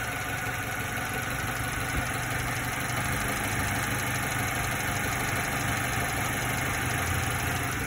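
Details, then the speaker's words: 90s Subaru Sambar KS4 carbureted engine at warm idle, speed bumped up slightly with lights on after a slight shake; steady even idle, very little rpm change with lights off after tuning. "that sounds awesome to me and here let's um that's this and then with the rpm with the lights off very little change which is very cool"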